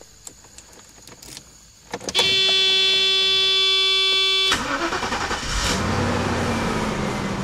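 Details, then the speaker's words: 1991 Mercedes-Benz 420 SEL, 180,000 miles, engine ice cold: brief starter whir, then it starts right up with good oil pressure and settles into a smooth, even idle. A normal cold start, apart from a known high idle. "you can see, this engine starts right on up, got good oil pressure. The engine's ice cold."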